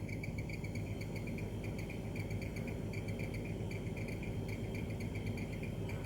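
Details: LG two-door refrigerator, clip recorded by the customer because the noise comes and goes: fast, high cricket-like chirps over a low hum from a dirty condenser fan motor with a stiff, dry shaft.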